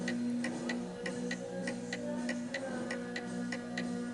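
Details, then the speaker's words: 1920 antique Napoleon hat mantel clock set on an uneven surface, tilted right: steady ticking near two beats a second with a louder tick than tock. The clock is out of beat and will eventually stop until it is levelled. "And because it's tilted more to the right, it is making more of a tick than a tock."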